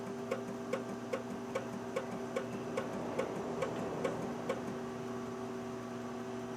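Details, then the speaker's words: Two-door Pontiac Grand Prix special edition, one-owner car from Texas: about a dozen light, evenly spaced clicks, roughly two per second, over a faint hum, and the engine never cranks. No-start clicking; the owner suspects a failed starter. "I think the starters completely yeah I don't think this thing's gonna start I think that's Turner's done"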